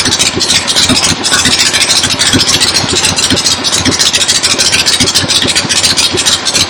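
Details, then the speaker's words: 1975 Harley XLH Ironhead Sportster V-twin, fresh rebuild, first start outdoors on a temporary lawnmower gas tank: slow even thumping pulses at steady idle under outdoor hiss; oil return established, oil pump working, normal idle. "Oil return has been established, so the oil pump is working. Good to go."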